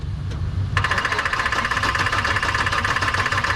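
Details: 1984 Chevy truck with a 454, dead two years: steady starter cranking at about two beats a second that never fires; the coil tests good and power to the HEI ignition and plug wires is being checked.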